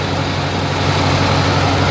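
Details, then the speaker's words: Massey Ferguson 202 diesel tractor with newly fitted alternator used as belt tensioner (not charging yet, pulley wrong): steady even idle with a low regular beat, no belt squeal or chirp; pulley not slipping and stays cool. "and it doesn't get hot. So I've been checking it, let it run for a bit, and check the pulley."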